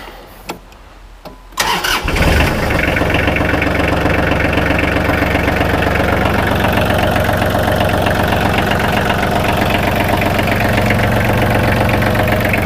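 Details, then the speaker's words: Kubota L3010 tractor diesel after oil (15w-40), oil filter and fuel filter change: quick crank, clean catch, then even clatter at steady idle, no misses; healthy start, no leaks. "Looks good. I don't see any leaks, so we can get ready to put this tractor back together."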